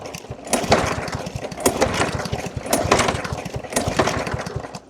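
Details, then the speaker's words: Yard-Man 139cc OHV 22-inch mower, starting attempts with fuel sprayed down the intake. Uneven, sputtering firing that barely catches and keeps fading, described as running like a diesel with zero startability; hard starting. "This thing runs like a diesel. Let's go start her up. There is zero startability on this at all."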